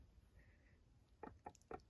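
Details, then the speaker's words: VW Vanagon T3 Syncro gearbox behind a 2.5L Subaru engine, disassembled after a noisy mainshaft bearing at 40,000 miles. The fourth gear idler is slid by hand on the shaft: four light metallic clicks about a quarter second apart. The gear is loose on its shaft, with brinelling from the bearing. "you can hear it and see it. It's loose on the shaft, you know, but the shaft looks nice, you know."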